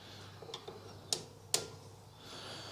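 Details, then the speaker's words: 2016 Ford Focus 1.5 TDCi rear drum brake adjustment: turning the toothed adjuster wheel clockwise gives two or three crisp clicks as the spring-loaded plate locks into the angled teeth, stopping de-adjustment; normal ratchet clicking. "and you can hear that plate locking in there that stops it from de-adjusting by itself from going backwards"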